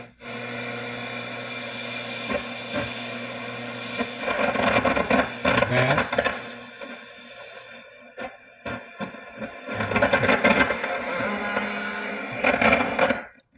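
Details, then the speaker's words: Recapped Zenith 12H092 AM/FM/phono console radio on FM: station audio broken by loud irregular crackling bursts like distant lightning; silver mica disease arcing inside an IF transformer. "that is the dreaded SMD silver micro disease"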